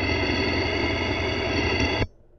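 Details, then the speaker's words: Toyota Camry, stethoscope on the belt tensioner: harsh, gritty, rough rumble indicating a worn tensioner pulley bearing, unlike the quiet, smooth alternator. "Now, that's the tensioner. Hear that?"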